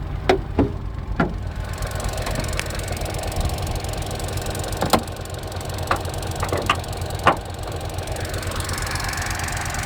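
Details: Opel Corsa D 1.4 100 PS, warmed up by about 10 km of driving, at idle: crisp, scattered fuel-injector ticks over a low engine hum. The injector ticking is clearly audible but normal, not a fault.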